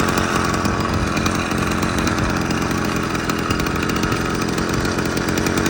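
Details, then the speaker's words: Motorized bicycle/moped two-stroke, restored cheap Marketplace find with clutch rebuild in progress, idling about 20 minutes without adjustment, clutch still loose and trying to engage; fast, even popping at one steady speed, no stumbles or surging: normal idle. "Nothing's exploded, so I haven't fixed the clutch, but it's idling well without any adjustment. New car's working good."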